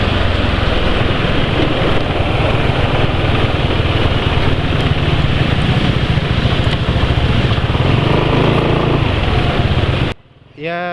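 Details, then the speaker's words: Engine at 83 km on WEPP 2111 oil additive: steady run with coarse, uneven low rumble, not smooth; owner attributes roughness to the oil's base quality. "ternyata suara mesin masih kurang begitu halus ya"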